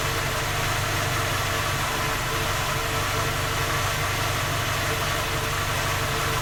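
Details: Skoda Octavia A5 facelift 1.6 MPI, cold engine at idle: persistent light rhythmic knocking under the drone, unchanged through the clip; three repairs failed to find the fault, knock persists.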